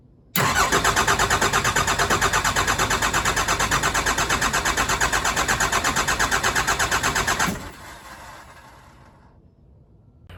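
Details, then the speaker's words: Cummins-powered truck just fitted with a new pump, fuel pumped, crank no-start: steady even cranking about three beats a second for seven seconds, never catching. Owner suspects air in the fuel system starving it and plans to crack the injectors to bleed it. "I phoned a friend and we're gonna have to crack all the injectors on the all morning crack three of them and get the air out of the system so maybe that's the issue is not getting enough fuel to it and won't fire"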